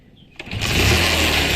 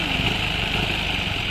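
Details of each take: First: Motorcycle engine after repair of a noise: catches and settles into steady busy run with only light clatter; the earlier bad noise is gone, remaining sound is from the magnet (flywheel) side; healthy now. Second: Rebuilt motorcycle engine at idle: harsh metallic rattle and high ringing over the engine beat, noise stops when clutch lever is pulled; kick start gears misaligned and clashing, to be fixed from the clutch side.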